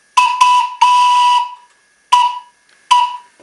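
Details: Live-steam model locomotive during pre-firing checks: clear, steady high whistle tone in about five short blasts, one held longer, on clean air; the steam whistle sounds just as it should.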